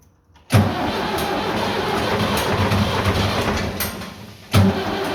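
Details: Vintage diesel tractor (the "77") that wouldn't start after sitting two days despite a fully charged battery and jump pack; tank found with zero fuel, diesel added and lift pump primed. Silence, then it catches at once and settles into a steady, even run.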